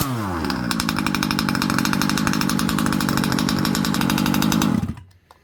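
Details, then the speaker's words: Rovan Baja 5b 1/5-scale RC two-stroke after turning in the idle screw: high-pitched buzz holds a steady, even rhythm for about five seconds, then cuts out cleanly; running normally. "All right. Seems like everything's working well on this."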